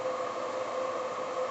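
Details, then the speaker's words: iCharger 306B charger on a 25 A, 14 V power supply: cooling fan comes on with a smooth, steady airy hum, no rattle or wobble, as it charges at high power; normal. "And you hear the fan come on because it's cranking out some pretty good power"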